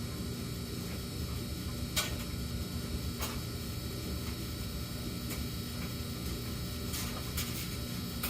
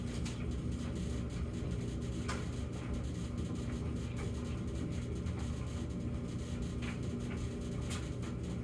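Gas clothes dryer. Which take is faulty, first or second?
first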